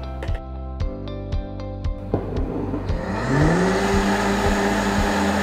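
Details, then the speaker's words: Unie V6 nut milk maker (1000 W grinding, 8-blade stainless blade, 1.75 L glass jar) making black sesame and lotus seed milk: a few ticks, then the motor spins up with a rising hum into an even whir; normal grind-and-cook cycle. "bà sẵn để các bạn biết tiếng động nó phát ra lúc say nấu như thế nào"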